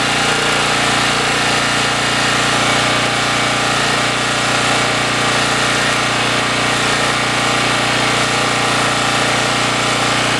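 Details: Generac GN360 6500 W generator runs at steady governed speed with constant hum but produces no power; owner drained and refilled fuel, oil present; bad power head.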